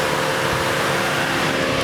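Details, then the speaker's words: Saturn Astra with P0693 cooling fan circuit code, fans commanded via scan tool bi-directional control after repair: steady even air rush, no ticking or wobble; both cooling fans running on high speed. "I turn that off and go to cooling fan 2, you hear it course, Clark had to start a van, but they both went active, and it's running at high speed."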